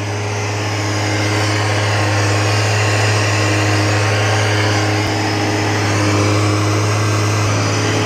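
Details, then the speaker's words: Toyota Chaser 1JZ turbo engine with HKS adjustable cam pulley and aggressive HKS camshafts, first start after rebuild: loud, steady, even idle drone with no knocks or misses; idle sounds good, though a hose smell and dripping follow shortly after. "ah non c'est là c'est le ralenti ok ça a l'air bon"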